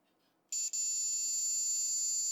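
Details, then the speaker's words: Logic probe on an Applied Engineering Z-RAM Ultra 2 card for the Apple IIc, on pin 5 of the RAM chips linked to MMU pin 6: a high-pitched tone starts abruptly and holds steady, showing a live signal. "and i get that sound on pin 5 of all of these chips if i probe it i should get the exact same sound because they're all electrically connected"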